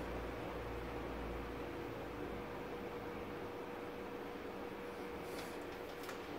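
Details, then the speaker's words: Cheap Chinese electric fan running on high speed, which a buyer had called too noisy. A steady airy rush with a faint constant hum and no knocks or scraping; the fan sounds normal. "nothing wrong with the fan it's a chief fan really like a Chinese fan what do you expect"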